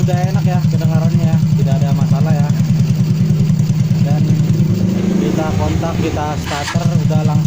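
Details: Motorcycle single-cylinder engine idling evenly and steadily with no hunting or stumbling after a carburetor clean, restarted with the engine cold; the hard starting and unstable throttle were traced to an intake leak.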